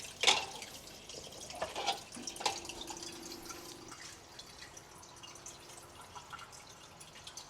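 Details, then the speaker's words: Reef aquarium sump, skimmer off, filter sock silencers removed, measured about 3 ft away: irregular drips and sharp splashes as water falls into filter socks, up to about 53 dB versus 44–48 dB with silencers; loud splashing. "so there it is you can see it fluctuating you can definitely hear that it's louder goes up to about 53 d"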